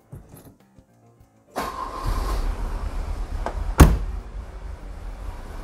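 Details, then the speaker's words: 1984 Volvo 760 Turbo, first start after timing belt replacement: quiet, then the engine catches and settles into a lumpy, wavering idle with an uneven beat; running rough, timing judged fine, owner suspects other injection problems still need correcting. "alors on entend qu'il tourne pas très rond il ya certainement d'autres choses à rectifier dans l'injection"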